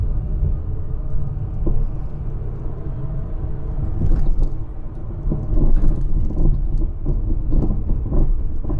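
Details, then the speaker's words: 50-year-old Austin Allegro 1300 driven over badly broken tarmac; irregular clunks and bangs over low road rumble from worn suspension, a noise the owner calls catastrophic; cause not yet found. "Now you can hear the suspension. The state of the roads where I live are shocking."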